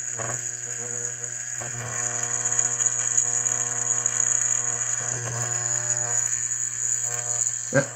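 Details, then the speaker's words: Hydrolevel VXT programmable steam boiler water feeder, set to one gallon per cycle after a 30-second delay: coil energized, steady low mains buzz with thin high whine as the solenoid valve feeds the boiler; normal. "it's going to energize the coil you can hear the foil buzzing away and presumably if you've got this thing plumbed properly water is going to flow through the solenoid valve and into the boiler"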